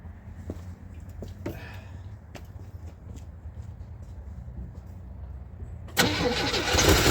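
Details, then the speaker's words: Checker Marathon's six-cylinder, first start after jump-start on a weak battery: settles into a fairly even, smooth idle with no lifter tick or knock and instant oil pressure, though it burns oil; sounds healthy overall. "Oh my God, that was smooth as butter. Oh, that runs pretty good."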